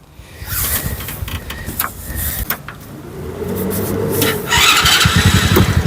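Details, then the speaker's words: Electric-to-gas golf cart conversion with a 125cc engine, compared against a Predator 212 cart: small single cranks, catches and settles into a quick, even putter about four beats a second, quiet enough to talk over; clean start and steady idle. "this thing is running a hundred percent and you can hear me talk like normal there's no problem with the sound of my voice over this thing"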